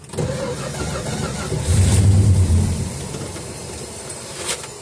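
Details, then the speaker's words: 1969 Dodge Dart left sitting six months on old 10% ethanol gas, given spurts of throttle: cranks, catches and swells briefly to a rough run, then fades and dies; fuel starvation, owner suspects a shot fuel pump diaphragm as the pump body leaks. "I'd say it's running. Just not very long. Yeah, I think we're running into the same problem. Not enough fuel."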